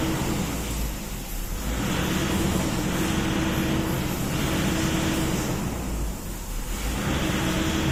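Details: Toyota Innova diesel that sometimes stalls suddenly, during a fuel system leak test: the idle swells and dips every couple of seconds instead of holding steady. Unstable idle from a fuel system problem.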